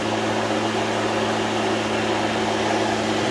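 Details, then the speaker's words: Litheli 13-inch cordless battery lawn mower, first start, blade spinning freely with no load: even whooshing whir with a steady hum, no rattles or pitch wobble; healthy. "The way you start it is you press the button first, and then you pull back the safety."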